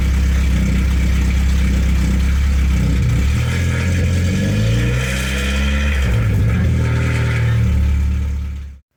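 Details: 1992 Saab 900 2.1 non-turbo with a newly welded exhaust: loud deep unmuffled startup and blips with a light metallic rattle from an exhaust hanger not yet adjusted.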